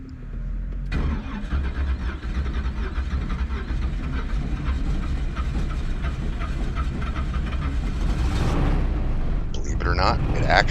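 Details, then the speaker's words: Twin-turbo LS Cutlass shut down during a drag strip pass, smoke from the hood, restarted: labored cranking, then it runs rough with heavy, irregular low thumping. Connecting rod failure; the number 1 and 2 rods and pistons failed. "later find out that the number one and number two rod and piston failed and are sitting in the blanket"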